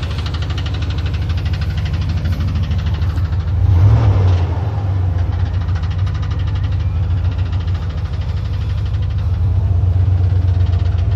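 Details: 1990 GMC Sierra at idle with a dull tick-clunk about four times a second, first heard today; owner thinks it comes from the starter, cause unconfirmed.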